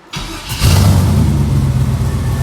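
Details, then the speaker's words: LS-swapped 1989 Fox Body Mustang, after charging a battery drained by a suspected parasitic draw: brief crank, V8 catches at once and settles into a steady, even idle with no stumble or misfire. "But it fires right up."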